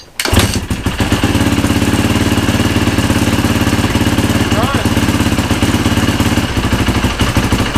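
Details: Yamaha YZ450 single-cylinder, freshly rebuilt from eBay parts, after replacing a stretched timing chain that caused ticking; steady even idle with clean exhaust beat, no ticking, much quieter; normal idle.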